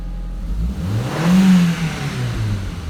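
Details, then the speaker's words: 1.8T Audi TT after fitting a new ignition coil in place of the dead one: catches and revs up cleanly, smooth steady rumble with no stumble or hesitation; earlier fault thought to be coil, downpipe and fuel pump. "Okay, straight away there's no hesitation whatsoever. Yeah, I think we've solved the problem."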